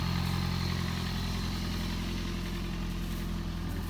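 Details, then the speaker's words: 2005 Toyota Prius, high-mileage and burning some oil, just started and heard from the front: steady, even low hum with no knocks, misses or whine; idling smoothly and healthy. "There, it just started up. You can hear it running. We'll go over in front. There's the sound it makes when it's running."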